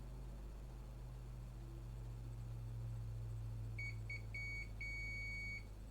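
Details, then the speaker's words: PlayStation 4 with non-working optical drive (Blu-ray drive itself tested good in another PS4); multimeter in continuity mode across fuse F6202: high beep stuttering as probes settle, then holding solid; fuse is connected. "Let me put the meter into the beeping mode so you can hear it. Do we have a beep? We have."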